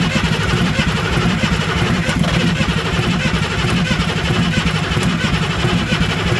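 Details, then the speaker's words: International 7.3L IDI diesel, ex-U-Haul truck sat in a field for decades, cold frozen day: steady labored cranking about ninety pulses a minute, no firing; glow plugs not working, return line leaking. "eventually what's going to happen is we crank it enough the engine is going to start to warm up and the glow plug won't be a factor anymore"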